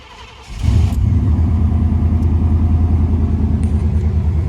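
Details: Chevy truck sitting for six years, rear end rebuilt, first start: catches after a brief crank and settles into a steady, even low rumble with no knocks or misses; running fine.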